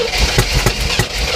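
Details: 1967 Oldsmobile Toronado V8 with new spark plugs, plug wires and oil. It cranks with heavy uneven thumps, catching briefly on fuel poured down the carb while the throttle is pumped, but won't keep running.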